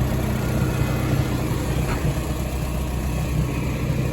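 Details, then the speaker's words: Machine with rebuilt engine idling, water temperature about 140, oil pressure about 40: steady even low rumble with no knocks or misses; running fine, like a kitten. "oil pressure is staying about fit or 40 so everything seems to be running fine so far first like a kitten ever since we rebuilt the engine in this"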